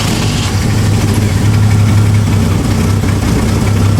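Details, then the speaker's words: Jeep idling without throttle after the ignition timing was set by turning the distributor until it ran, following a stall: a low, even idle with a steady deep rumble and no stumbles. Normal idle. "Yeah, that was a lot better. I think that's right. I didn't even give it really any gas."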